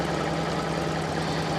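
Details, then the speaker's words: Fiat Panda 4x4 Sisley after its throttle and mixture screw were adjusted using a gas analyser on the exhaust: steady, even idle with a smooth low beat and no misses or knocks, running sweetly. "so um yeah that's muchly appreciated so you can hear how well it's running"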